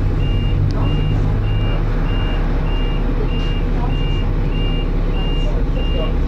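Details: First Manchester Dennis Arrow bus R443ULE, with a slipping ZF gearbox: high beeps about every 0.6 seconds over a deep diesel idle, a dashboard alarm; the bus possibly overheated, as the driver called the depot mentioning temperature.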